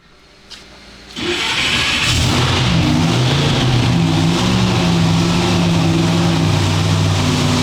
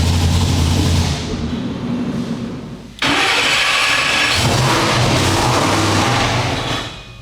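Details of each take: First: Engine running on the dyno after its timing mark was found 20–25 degrees off and re-marked at top dead center; revved to check. Strong, steady, even beat with no misfire or knock; timing sounds right. Normal running. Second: Supercharged dyno engine, after a blower change and earlier manifold blowup: revs in flat, lazy pulls that die off sounding weak and hollow; ignition timing retarded because the timing trigger wheel was displaced.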